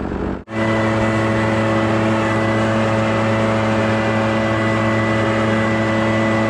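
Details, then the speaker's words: Echo PB650 two-stroke backpack blower, barn find unused about 5+ years, running on fresh gas while blowing debris off a roof and gutters: steady, even high-pitched drone, constant throughout, no surging or misfires; runs strong under load. "so it's working pretty dang good what I do is I start to Ridge and blow all the stuff down towards the gutters and then come back"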